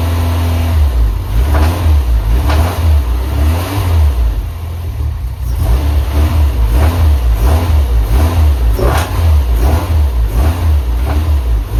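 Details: Honda Civic after new coolant temp sensor, ignition control module and rotor, running a tuner's base map, revs up and down with sharp pops and bangs at certain rpm; cause still unknown.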